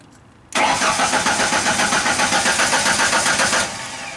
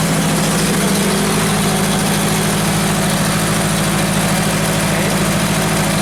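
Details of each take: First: Genie construction lift cranking after its power relay was triggered with a test light: even starter cranking about four beats a second for three seconds, never catching. Cranks but will not start. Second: Genie construction lift whose crank-no-start fault, traced to a missing power feed, is being diagnosed and which is running on about 10 psi fuel pressure: even, steady idle with a smooth low throb and no misses or knocks. It is idling normally.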